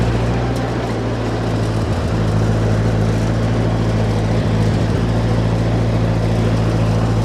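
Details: Old Ford 8N tractor (circa 1948–52), being driven, previously hard to start: deep, even low thump at roughly 200 beats a minute holding steady under load, no popping or cutting out; runs healthy.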